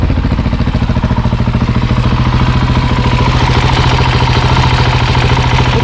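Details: Husqvarna 701 Enduro Euro5 single, fully rebuilt with new cam chain tensioner, warmed up hot outdoors: steady even thump about 3.5 beats a second, no ticking or chain rattle; clean normal warm idle.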